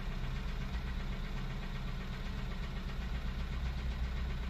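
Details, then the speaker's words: 2003 Honda CR-V K20A4 after valve adjustment, knock since hard revving: steady low idle with dull irregular knock about two or three a second; owner suspects a rod or loose bottom-end part, unconfirmed. "now I'm starting to think it sounds like a rod or something is moving around down there"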